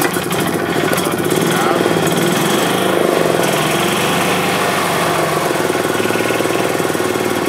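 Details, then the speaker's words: 2007 Club Car Precedent gas golf cart after an oil change and new fuel pump (fuel had been in the oil); quick, even chuffing idle with no clatter or misses, though the governor is slightly out of adjustment; normal running. "okay so the cart runs it actually is running really good"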